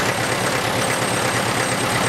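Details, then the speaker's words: 1953 International 275 tractor with PTO-driven Ferguson cordwood saw: light metallic tinkling ticks ride over the idle several times a second, varying with engine speed; source unclear, owner wonders if it is the dynamo. "can you hear that tinkling noise above the engine legs what on earth is going on sort of running with engine speed i'm not sure is it the dynamo something like that"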